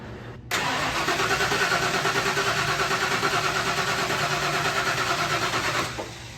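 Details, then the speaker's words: OBS V8 truck that sat for years, with the distributor found 180 degrees out, started on brake cleaner: it catches abruptly and runs about five seconds with a lumpy, uneven pulse, then quits. Rough running from wrong timing; a bad fuel pump is also suspected. "It's running. Not happy. She was not happy. But she fired."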